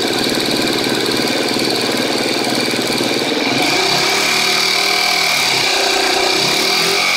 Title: KTM 250 exc-f 2013 6 days, ticking sound while idling, bad cam tensioner?